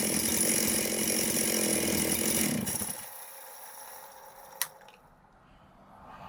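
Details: Chainsaw on the bench, first run after reassembly with a gasket and a tune adjustment: holds a smooth, even high-pitched run for a few seconds, then winds down and stops cleanly; normal running.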